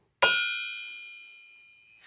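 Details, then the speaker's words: Mopar 360 crankshaft lightly tapped while lying on a wood floor gives a clear, bell-like ring lasting nearly two seconds. The crank is sound, with no cracks. "all we need all you gotta do tapping like that your rings like that you're good shape no cracks"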